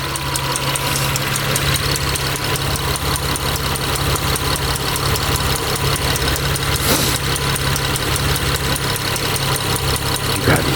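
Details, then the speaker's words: Mitsubishi Eclipse 6G75 V6 after rebuild with new lash adjusters, once warm: a quick, steady light ticking keeps pace with engine speed over the idle, the same tapping as before but louder; owner suspects the top end, needing intake and valve covers off again. "okay much better oh [ __ ] [ __ ] and now we have a problem same thing as before louder"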